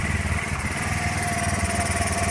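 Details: Honda Zoomer X scooter that would not start, idling after a new fuel pump motor was fitted, with a pressure gauge on the line. The single-cylinder putter is steady and even with no misses, surges or knocks. Pressure should hold steady around 3 bar at idle. Normal idle.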